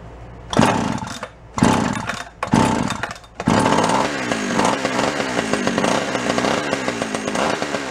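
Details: Free Echo CS-400 two-stroke chainsaw: catches after a few pulls on full choke and settles into a steady, slightly uneven buzzing run with throttle blips; running normally.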